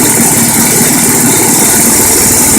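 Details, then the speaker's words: 12V generator, small engine driving alternator via new 4" pulley (was 2.5"), at idle putting 20 amps into batteries via PWM controller: steady, even idle with constant hiss, no knocks or surging; normal idle. "And it's putting 20 amps to the batteries at idle, which is actually really, really good."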